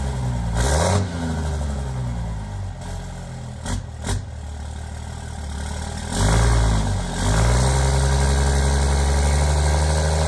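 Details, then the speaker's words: Cummins diesel (1500hp project truck) with five-inch exhaust all the way back, at the exhaust before its first drive; deep even idle, quick throttle blips rising and settling cleanly: normal idle. "let's get this thing down and we'll give you guys some exhaust sounds"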